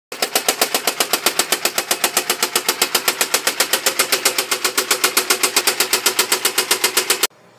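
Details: Chery Eastar engine knocking loudly and rhythmically at idle, about four hits a second, slightly quieter when revved, heard in the upper engine; teardown found damaged rod bearing shells stuck together and to a connecting rod, and a loose connecting rod with backed-out bolts.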